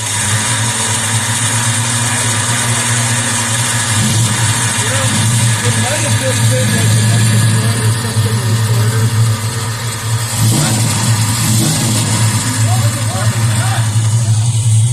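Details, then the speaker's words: Ford Mustang engine just unseized with Marvel Mystery Oil, after a suspected exploding starter: steady low engine drone with harsh high grinding whir that stays while running, starter suspected stuck engaged, possibly a switch fault; not confirmed. "that sounds I mean that's been sounding bad this whole time whoa what that sounds like stuck on that's fun"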